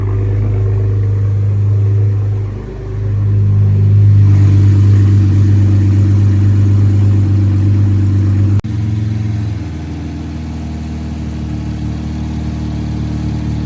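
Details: Cold start of a 2020 Chevrolet Camaro V6 just after an oil change with 6 quarts 5W-30 and a new filter: engine catches and settles into a smooth, even low idle that drops slightly after a few seconds; normal cold start idle.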